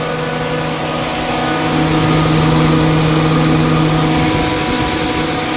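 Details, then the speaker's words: '01 Chevy Silverado single cab idling after the owner wired the electric cooling fans separately, one connection temporarily butted: steady whooshing airflow with a smooth, even hum, no rattles or scraping; the fans run normally. "Alright, man, got it to work. The fans, I just butted this one. For now, I know it's not the best, but until I figure something out, I got them wired."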